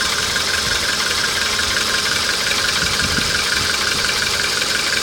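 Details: Hot VW Polo engine at idle with a steady, fairly regular light tapping about three per second over the engine hum; knock when hot, cause not confirmed.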